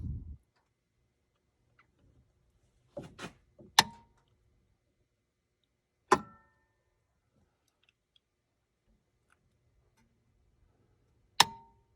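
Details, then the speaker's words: 1999 Four Winds 33SL motorhome, Ford F53 V10 Triton, engine compartment battery control center relay at back: sharp single clicks a few seconds apart, uneven, relay or solenoid cycling when harness connected; batteries draining, cause not found. "it's definitely something with obviously this harness here that's causing this relay to keep clicking behind here but i just can't figure out what it is"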